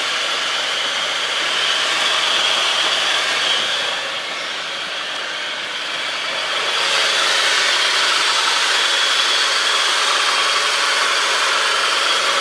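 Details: Mitsubishi Chariot (N43W) 4G63 turbo, engine running with transfer and brake calipers fitted: steady whirring squeal around 3 kHz near right front wheel and transmission-to-engine area; drivetrain whine, cause still under investigation.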